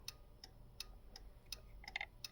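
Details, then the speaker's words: 1951 Chevrolet Styleline Deluxe converted to 12 volts and rewired with a universal signal switch: crisp, even flasher ticking about every third of a second (~165/min) in a quiet cab; turn signal flasher working normally again after burning up at the 12-volt swap. "you can hear that flasher going which is actually nice to have again everything burnt up as soon as I went to 12 volts"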